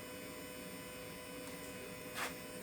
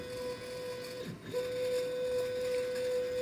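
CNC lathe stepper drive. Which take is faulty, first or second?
second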